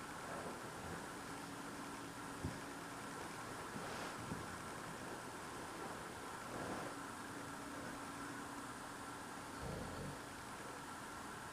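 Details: Loud unidentified idling noise outdoors at night, recorded through a frozen-shut window in freezing cold; the owner says it is not a generator. Faint, steady low hum with a higher whine under wind; source unknown.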